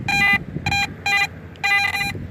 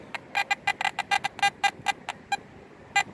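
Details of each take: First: AT Max metal detector with a Sniper coil at high sensitivity: some background chatter, then crisp, repeatable mid-pitched beeps. Target ID 73-74, very shallow at about an inch deep. Solid target tone. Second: AT Max metal detector with a Sniper coil and sensitivity at 18 (max) chatters with irregular false beeps between targets; backing the sensitivity down about two bars is advised, though a shallow 73-74 target still reads solid.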